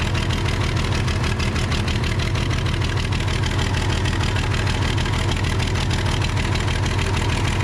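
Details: Case 855D loader with a 12-valve 5.9L Cummins diesel: a steady, even idle with a regular low thump about three per second, no misses or knocks; normal diesel idle.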